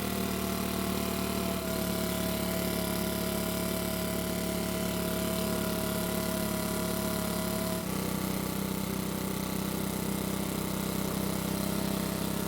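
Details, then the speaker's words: Makita four-stroke leaf blower: steady, even idle with a clean consistent note and no misses, settling smoothly after a speed change; somewhat cold-natured but runs well once at normal temperature. "so it seems to be a bit cold natured which is typical of small four-stroke engines but once it's at normal temperature it seems to work really well"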